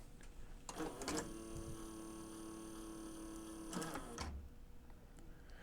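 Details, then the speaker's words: A&D GX-Z9100 three-head dual-capstan direct-drive cassette deck, transport out for service, a cam gear possibly missing part: clack, about three seconds of steady motor whir, then a clunk; mode mechanism cycling abnormally without settling, cause suspected, not confirmed. "maybe that's not such a big deal let's try that one more time I'm trying to resist the temptation to manually try to push the mechanism over cuz uh yeah I'm kind of concerned"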